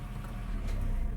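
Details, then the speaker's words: Honda Fit at 241,194 km, engine started with the robotized (DSG-type) gearbox; low, even engine rumble, gear engages cleanly with no clunk or grinding: normal gearbox engagement. "Ожил робот. Ну, так активно, ага, качаю. Да. Тык, тык, тык, тык. Все, пошла. Нормально, слушай, прошла."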